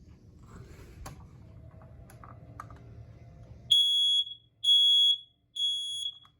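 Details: Kidde i9050 ionization smoke alarm, 9-volt battery, test button pressed; after handling, three loud shrill beeps about a second apart sound cleanly, alarm working.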